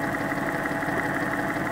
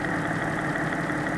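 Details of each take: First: Porsche 986/987/996/997 flat-six checked for bore scoring, warm, stethoscope on block at cylinder 3: smooth even tone, no ticking or tapping, healthy; cylinders 1 and 3 best, cylinder 2 showed more rhythmic tapping. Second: Porsche 986/987/996/997 flat-six, hot engine at idle, stethoscope on cylinder 2 between exhaust: steady rhythmic tapping louder than cylinder 1; suspected bore scoring.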